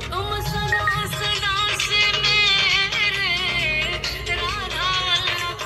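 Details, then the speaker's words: Samsung phone loudspeaker after repair (not replaced), volume raised: music loud and full with crisp highs and steady lows, no buzz, rattle or crackle, sounding like a new speaker; normal loudspeaker playback. "वाह, कितनी अच्छी आवाज़ आ रही है, ठीक है।"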